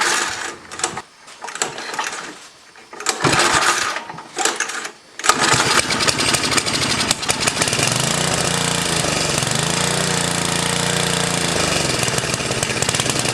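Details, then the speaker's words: 10HP Tecumseh snowblower engine on its first run. It sputters in rough bursts until fuel delivery catches up, then settles into a steady, even run with no misses. "oh sounds like fuel delivery get some gas and it dies fuel pump the fuel catches up so she'll start right up"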